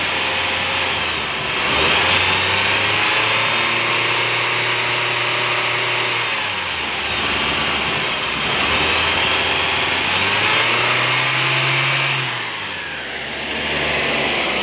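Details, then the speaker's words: Nissan X-Trail engine revved after replacing the noisy alternator pulley: climbs smoothly and settles back, no whine, squeal or rattle; noise gone, normal. "yun guys, wala nang ingay. Nissan X-Trail."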